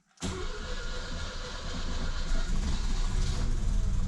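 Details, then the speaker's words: Mercedes W115 petrol engine cold start, full throttle then choke set, in neutral, fuel had drained back so took a bit to prime: catches almost at once, steady low rumble firming up; healthy cold start. "hey that wasn't bad now all the all the um all the the the petrol did go back so it took a bit to prime the petrol is sucking back on this um but just listen to how that sounds from a cold start"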